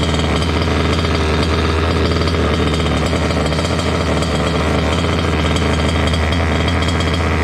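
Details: Water-cooled two-stroke Goped scooter, new electric coolant pump: loud raspy steady, unusually high idle; lean from an air leak at the unplugged pulse line of the old pump; plugging it made idle drop.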